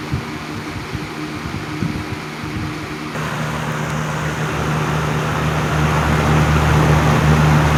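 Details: 1987 Patton CA-1284 12" rotary box fan, run with the front guard loosened. Steady, even low hum with a smooth airflow rush and no rattle, ticking or wobble; no noise or vibration.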